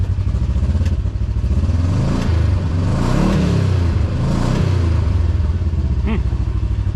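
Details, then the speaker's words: Newly installed GGB trail edition muffler: deep, even exhaust burble rising and falling cleanly through a few throttle blips, not harsh or crazy loud, a little meatier than before; healthy. "Does sound a little better. A little meatier."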